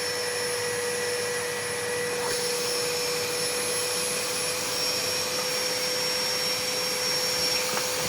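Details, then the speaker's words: Old Numatic Henry HVR200 vacuum after homemade motor brush repair, running outside to wear in, slight burnt smell, winding possibly cooked: steady drone with thin high whine, sounding soft as if on low setting; weak suction. "Doesn't sound It doesn't like feel like a strong suction. It's like it's on the low bit of the high and low."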